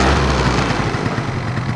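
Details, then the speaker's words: Two-stroke scooter with the choke fully on, demonstrating correct two-stroke running: after each throttle blip the revs drop sharply and the engine idles crisply and evenly. Normal idle. "Правильная работа двухтактного двигателя. Мы даем газу, и обороты резко опускаются, и мотор четко работает на холостом ходу."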